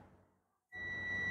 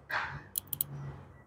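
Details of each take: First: Perodua Axia air-conditioner compressor relay bench test with multimeter: quiet pause, then a sudden steady high-pitched continuity beep that holds; relay contacts close, relay is good, unlike the failed one reading open. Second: Perodua Axia whose air conditioning won't cool, engine off, mic placed at the compressor relay (terminals 85/86/87/30): a few sharp relay clicks but nothing engages afterward. Faulty relay that clicks but whose contacts don't close.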